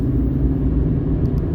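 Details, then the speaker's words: Fiat 500 on road test after fix for random multiple-cylinder and cylinder 4 misfire: smooth, even engine note on the move with no stumbles or missed beats, no dashboard lights; normal running. "and it seems to be running really quite nicely. That seems to have made all the difference."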